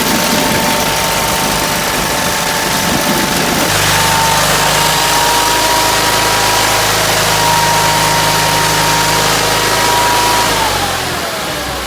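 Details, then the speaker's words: Case 446 "Big Wheel" lawn tractor twin, barn-stored several years, after removing carburetor air-filter screws that fell in and held valves open: fires and holds steady even idle at constant pitch, no misses or knocks; normal running. "Well, my friends, there you have it. Another successful Will It Start? Yep, it did."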